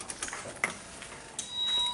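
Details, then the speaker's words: 2008 Nissan Sylphy with P0135/P0141 O2 heater circuit codes and a repeatedly blowing 10 A fuse, 10 A fuse saver with buzzer fitted, key on: a few sharp clicks then a steady high-pitched buzz; fuse tripped again, short suspected, not yet located. "all right it popped again so you can hear that buzzing song I'm not getting into the progressive reset so that means to it popped again right so you just heard the fuse pop and they keep popping"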